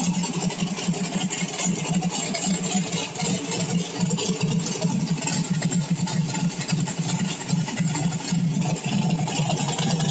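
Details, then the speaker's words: Small-block V8 on pump E85 with CSU blow-through carb, warmed just past 140°F: fairly even idle around 850–900 rpm, no stumbles or hunting; smoother normal warm idle. "idle not much different sitting around 850 almost 900 but smoother you can definitely feel it when you're sitting in it when it gets to that point"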